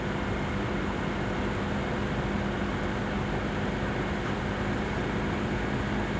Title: CPU Fan Gets Loud Noise On Asus laptop Before CoolCold Vibration